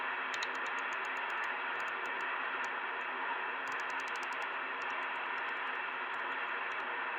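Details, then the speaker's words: 2-metre amateur band (144.000–145.990 MHz) receiver: steady hiss with sharp irregular ticking, digital-sounding QRM interference swamping the band with no digital gateways active; source unknown. "all this noise and it sounds like a digital noise now there's no digital gateways on at the moment there's nothing here on the Amer band that is causing this kind of noise"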